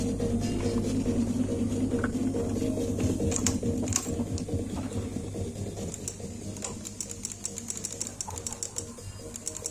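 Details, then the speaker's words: Honda Vario 125 LED New scooter (no kickstarter), no-start with MIL on: pressing starter gives only light, even relay ticking a little over twice per second with no cranking; starter circuit checked normal, cause a failed CKP crankshaft position sensor. "Starter enggak bisa nyala ya, cuman bunyi cetek-cetek ya. Di sini bisa kalian dengarkan cuman bunyi cetek-cetek di bagian delay. Bagian relay-nya cuman keluar bunyi cetek-cetek."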